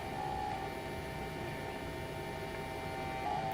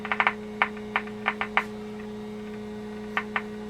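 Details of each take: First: 1946 Packard car radio under repair, switched on: steady thin electrical buzz with a faint high whine as the vibrator power supply starts up and settles down normally. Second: 1946 Packard car radio under repair, signal tracing at the 7B8 converter tube pins: only steady low mains hum with scattered probe clicks, no programme sound; nothing coming out of the converter, cause suspected, not confirmed.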